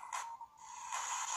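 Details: PiBoy DMG handheld speaker after the shell screw near the speaker was loosened: a clean steady tone with crisp hissy bursts and no crackle or buzz. The crackle returns when pressure on the shell stops the membrane moving freely.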